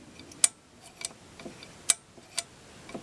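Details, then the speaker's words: Credit unit being tested: crisp, uneven mechanical ticks, about forty a minute, in a quiet room. The solenoid clicks and the credit unit rotates its sprocket as it should. Normal credit unit stepping. "let's see if it does that now listen for the click there it is now let's see if it rotates the sprocket there it is"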